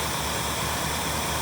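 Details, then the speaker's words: Lincoln revived after auction purchase, fuel pump now working and earlier miss clearing: steady, even, very quiet idle where fan and carburetor intake hiss are louder than the exhaust, no stumble or miss; normal idle. "This thing is so quiet. The fan and the carburetor sucking in air is making more than the exhaust."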